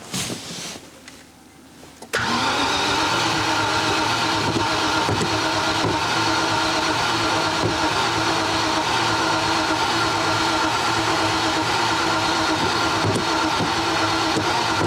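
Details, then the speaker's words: Range Rover Classic barn find sitting about 10–13 years, new spark plugs; about thirteen seconds of steady cranking that never catches, engine cranks but won't start; injectors suspected bad. "see if we can crank the engine and see if it will get started"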